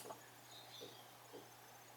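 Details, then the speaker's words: Desktop computer after foam pads were fitted under the case base to stop vibration: low, soft steady fan hum with faint ticks, no rattle or buzz; much quieter than before, normal running. "right now it's this thing is running nice and much quieter than it used to be"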